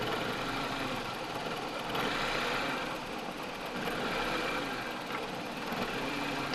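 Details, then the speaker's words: 2007 Toyota Corolla XLi with black smoke and poor fuel economy, MAF codes listed: quiet idle swelling and sagging every couple of seconds with a shaky, uneven beat; engine vibrates, rpm hunting, coils and injectors checked working. "Vibrate कर रहा है, इंजन इस तरह वाइब्रेट करता है, इस तरह से।"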